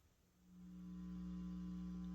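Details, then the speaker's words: Guitar amp with Caline isolated pedal power supply on an all-metal pedal board, pre-gain halfway: steady low buzzy hum that disappears when the pedal board is grounded — ground hum from ungrounded pedal board. "And if I ground the pedal board itself, that buzzing goes away."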